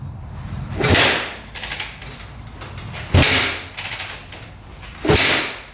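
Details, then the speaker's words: 2004 Suzuki RM-Z250 after rebuild with new crank, bearings and top end: three hard kicks, each a thump with short clatter, couple of seconds apart, never fires; cranks but will not start, same problem as before teardown. "uhoh I don't know what's going on it is not firing huh what the heck not good"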